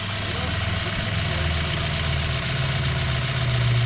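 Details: 2017 Hyundai Sonata with a P0303 cylinder 3 misfire traced to a bad #3 spark plug (coil swap ruled out, plug swap moved the misfire): steady, even low idle with a smooth rumble and no stumble or skip, so it is firing cleanly on all cylinders.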